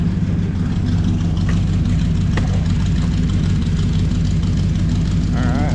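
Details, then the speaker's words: 1968 Chrysler Newport V8 with new headers and a homemade exhaust, driven only about four miles, warming at a slightly raised idle with headers still smoking. A deep, burbling idle with a steady low lope and no ticks or misses: healthy. "took the idle up a little bit a let warm up a little bit still got still got a little bit of smoke coming off these new headers I've only driven it like four miles total but uh sounds awesome"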